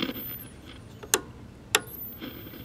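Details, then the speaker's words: 1970 Sony Trinitron KV1210, powered through a 50 W light bulb: sharp static crackles, then a thin very high whistle settles in. Normal startup crackle and oscillator line whine. "i hear crackle cracklage and i hear the oscillator starting hear that"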